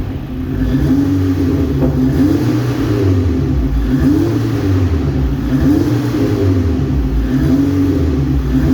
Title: APR Ignition Coil APR-MS10020 problem misfiring